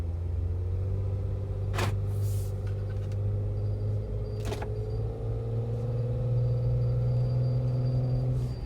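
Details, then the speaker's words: Jeep Wrangler after an off-road trip through deep water and mud, now in freezing weather, recorded on a phone while driving: a thin, steady metallic whistle over road rumble, rising in pitch with speed. Owner suspects mud or sand got in somewhere; source unconfirmed. "can you do that almost sounds like a whistle"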